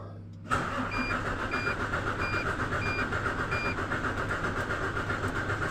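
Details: Hino 700 Series truck with E13C diesel, starter spins it at a steady fast churn with no firing; cranks but won't start.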